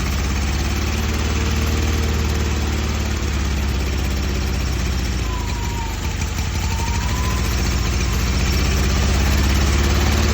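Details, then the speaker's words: Newly swapped carbureted engine with a fresh fuel line, fuel filter, throttle and exhaust hookup. It runs a lot better but dislikes idle: a low idle that wavers and sags midway before recovering. Unstable idle. "Alright, sweet. Running a lot better. It does not like idle though."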